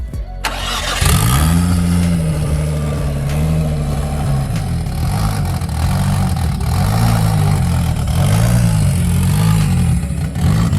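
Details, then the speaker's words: RB25 big-turbo Nissan Laurel, automatic, first start and drive after front-end repair, cold; owner says it starts but tends to die off: engine catches after a crank and runs unevenly, revs hunting every couple of seconds; cause unknown. "when you did like one you turned around right there and did like a pull you can really hear it i went"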